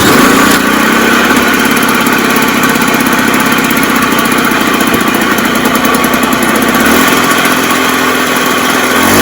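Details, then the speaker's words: Previously seized Puch Maxi moped two-stroke engine, bench-rigged with choke on, on its first start: it catches at once and runs with a steady, even buzzing beat, ticking over a little fast; sounds okay. "But see how quick it started. That was honestly the first start. So yeah, we have a runner, and it sounded okay for the brief time I had it running."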